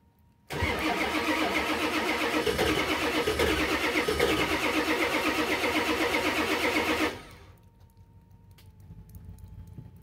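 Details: 1984 Ford F-250 with a swapped 7.3 IDI diesel from an 1988 Econoline, an estimated 60,000–80,000 miles, cold at about 30°F, heard by the tailpipe: short crank, catches at once into even steady clatter, healthy cold start.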